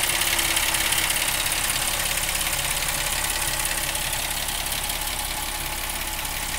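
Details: 2010 Jeep Wrangler at steady idle with a fairly regular fast ticking, roughly three per second, over the engine note; abnormal engine noise, origin unknown.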